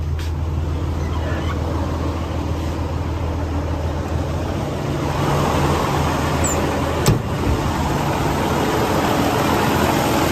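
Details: 2012 Western Star 4900FA truck with a DD15 diesel (475 hp, 13-speed manual) held at raised idle. Even, steady drone with no misses or knocks, pitch lifting slightly as revs come up. Normal high idle.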